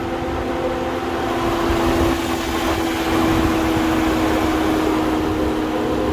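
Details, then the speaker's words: Infiniti Q50 idling: a steady whooshing hum from the cooling fan stuck running when it should cycle off; a stuck fan relay is suspected, unconfirmed. "No, that's the fan. That noise is coming from the fan."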